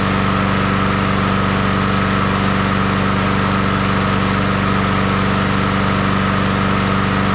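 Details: Honda HRR216 push mower revived after sitting disassembled for a long time, started with choke, oil in and fuel on: constant, even single-cylinder buzz with no misses, surging or rattles; normal running.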